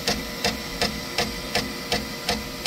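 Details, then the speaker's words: Creality K1 Max 3D printer, manual extrude command: sharp evenly spaced extruder clicks about three a second as filament slips and nothing comes out. Clogged nozzle. "okay I hope you can hear that clicking noise it's made from the extruder up there nothing's coming"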